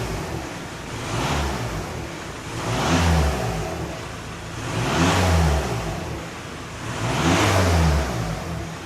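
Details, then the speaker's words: Healthy free revving on a VW Caddy van with the 1.9 TDI diesel and DSG gearbox, after a turbo replacement for blue smoke. The exhaust is not fully cleaned out and gives slight derv smoke. Four even revs climb cleanly and drop back to a steady idle with no knocks or misses. "But let's do some revolutions. Bear in mind it's not fully cleaned out, but"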